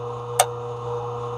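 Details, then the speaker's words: Antique Viking 3/4-inch drain rodder with a Dayton 1/3 hp motor and a three-position switch: one switch click, yet the steady motor hum continues unchanged; once running it cannot be stopped and must be unplugged. "once running nothing changes you can't stop it you you have to unplug it"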